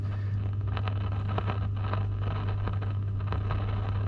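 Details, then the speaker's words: New Zealand vintage valve radio, first power-up when tuning through stations: steady low mains hum with slight static and no station received; radio appears to be a non-goer, cause unknown. "so all i'm hearing is a hum in the background slight bit of static but unfortunately this one looks like it's a non-goer"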